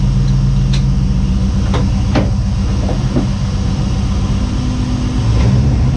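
Rough, uneven idle with a lumpy beat and occasional stumbles breaking the rhythm; sounds like a misfire.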